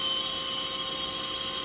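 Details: Flooded chiller centrifugal compressor at first start-up, suction valve nearly closed to keep it running, IGV 100% open, 37 A, suction 34 vs barrel 57: steady high-pitched whine with hissy rush and fixed tones, pitch changing with slight valve opening.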